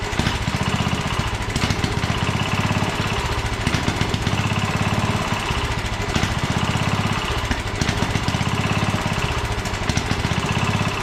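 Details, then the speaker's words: 1967 Sears Suburban 10 garden tractor single-cylinder engine on choke during restoration, carburetor being adjusted, throttle cable unhooked: runs rough, speed hunting; brake cleaner sprayed behind carburetor changed RPM, revealing vacuum leaks to be fixed. "well I discovered an issue you I got some brake cleaning I shot it in behind here and it changed RPM when I did that so it's got um vacuum leaks so I'm going to take care of that"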